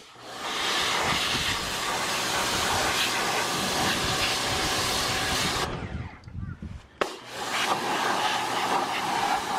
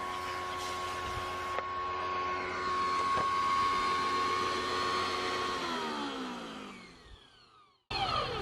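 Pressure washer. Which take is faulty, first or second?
second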